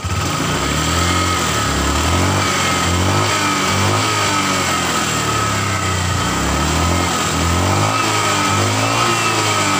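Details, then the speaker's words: Honda Vario 150 eSP scooter revving: smooth, no rattle; earlier clattering at low rpm from the rear area eliminated after fitting a hose at the radiator cover housing and tightening its bolt. "tidak bersuara lagi ya. Tadi di sini ada suara kerotak-kerotak."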